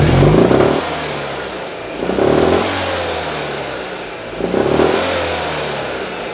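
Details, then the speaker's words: Citroen 2CV engine fine at tick over but blipping the throttle brings a harsh metallic rattle rising with revs, felt through the pedal, with a smell and power loss; owner doubts heat exchanger, suspects engine itself. "It's only when you rev it, you get that rattling. It's a really hard rattling sound."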